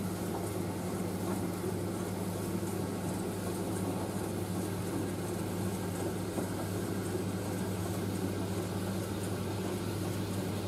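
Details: Indesit IS31V 3kg compact reversing tumble dryer drying a load including a cover, drum reversing about every 70 seconds to stop tangling, before final cooldown; steady even low drone with soft drum rumble, no scraping, squeal or knocking, running normally.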